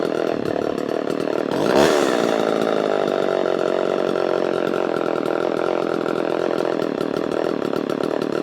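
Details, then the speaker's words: Vintage Homelite chainsaw with a thumb-pump oiler: a quick throttle blip, then a steady, even high buzz without sputtering. It runs clean, noticeably cleaner than the other vintage saw. "so yeah let's fire it up and you can you can hear the difference between these saws and newer saws"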